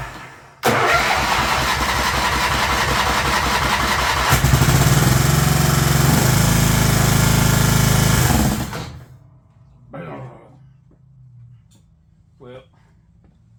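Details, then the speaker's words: Scotts S2048 riding mower with 48-inch deck starts and runs evenly, then bogs hard as soon as the PTO engages the blades and dies within seconds; the deck blades are seized and will not turn. "doesn't really sound like it's uh dying because it's too hard to turn it sounds like he's dying because I'm just killing the motor I'll be back on the other hand the blades are locked up and uh yeah they don't turn"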